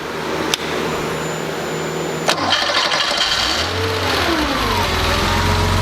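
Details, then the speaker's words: Rebuilt Porsche 2.7 L CIS-injected engine, hot start after sitting about 20 minutes: brief crank of a couple of turns, fires cleanly without throttle and settles into a steady idle; settings correct, healthy hot start. "okay so our engine started right up uh didn't need any throttle which it shouldn't do if all your settings are correct"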